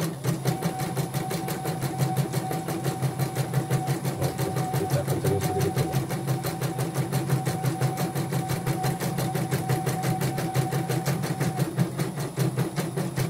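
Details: Portable embroidery machine (came in blank screen, dead touchscreen, hoop not positioning, unable to embroider) test-stitching after mainboard replacement: even rapid stitching clatter over steady motor hum, no knocks; slight squeak after oiling is normal; normal stitching.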